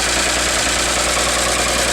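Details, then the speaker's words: 1957 Chevrolet 6400 fuel truck idling with a T-shirt as emergency fan belt driving water pump and fan, alternator removed for repair: even idle with steady hiss of fan air, no slipping belt squeal; normal idle. "And I'm going to start it up and let you see how it works. Alright, the truck is running."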